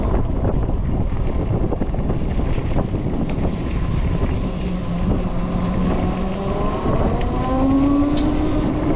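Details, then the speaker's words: TERRA Prime electric motorcycle riding in ride mode 1 (eco, mellow acceleration, 28 mph top): quiet wind rush with chain noise, motor hum and a controller whine rising as it pulls away; normal. "So, when you ride the bike, it's very quiet, but you will hear some chain noise, some motor noise, and also you'll also hear the whine of the controller as it kind of spools up and throws a lot of energy through it."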